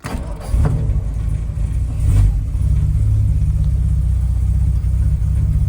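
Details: Jaguar XK140 cold start, water temperature at 0 and oil pressure down: brief crank, catches at once and settles into a low, even idle with no stumble or misfire; starts nicely every time.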